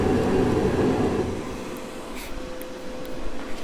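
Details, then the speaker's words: Masterforce 20V 60,000 BTU brushless portable propane forced-air heater in a cold garage, propane tank shut off: burner roar drops away and the fan keeps whirring steadily with a faint even hum, the normal cool-down run-on after fuel cutoff. "you'll hear the fuel cut off you're supposed to let it run for a couple minutes to let that excess heat get out"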